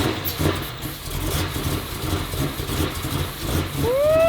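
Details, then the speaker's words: Totaled Jeep Trackhawk swapped to a built Demon supercharged V8 with bigger supercharger on E85, first start: deep, lumpy, uneven idle that never settles, running badly and smoking. "Nó hơi tệ một chút ngay bây giờ, nhưng dù sao nó cũng đang chạy không tải."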